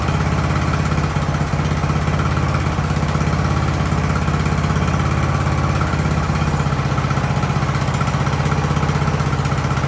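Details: Ariens hydro-drive riding mower, sat at least two years, in about 30-degree cold: steady, even low putter from the small single with no surging or dying; idles cleanly and holds its speed.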